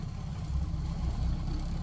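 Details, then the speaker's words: ASV 2800 track truck, 75 HP Isuzu diesel, after driving demo: deep, steady diesel rumble with an even beat, no knocks or misses; runs excellent with no known issues. "It's just a nice running machine."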